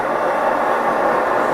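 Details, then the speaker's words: MSR XGK EX expedition stove burning white gas at full output: a loud, steady hissing roar with no sputter or surging, and the burner steel glows red hot. Normal full-output burner roar. "So this MSR XGK, you can hear that roar here. And this is the roar that I've listened to for months on end of my life."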